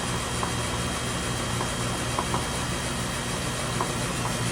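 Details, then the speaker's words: Condensing unit under 10-year warranty, Florida 2023: steady low rumbling hum with a rough gravelly growl, like rocks in the system; compressor failing internally, found at routine maintenance two weeks before total failure, plus capillary tube rub leak. "This compressor sounds like shit. I sent them a video of it growling, sounding like rocks were in the system."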